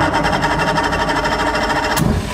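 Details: Mercury Force 120 outboard dead 12 years, fresh gas and oil, in neutral, compression about 121 on cylinder one: quick even pulsing as it catches and runs cleanly a couple of seconds; starts and runs normally.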